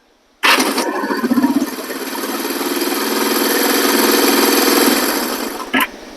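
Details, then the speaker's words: 1973 Honda CL350 after the starter clutch rebuild: a quick crank that catches within a second and settles to an even idle, with no rattling noise from the starter clutch anymore. Normal electric start. "the starter clutch works great see if you can hear this actually I should say see if you don't hear this cuz it's not making that rattling noise anymore"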